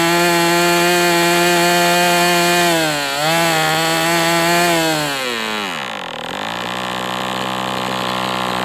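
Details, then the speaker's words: MDS 68 FS Pro model four-stroke engine on break-in, warmed to operating temperature, still tight with high pinch, new plug replacing idle bar plug: smooth even buzz holding steady then easing down, running well now. "So, I mean, right now I'm not unhappy with this engine. It is what it is, but it seems like it's doing well now."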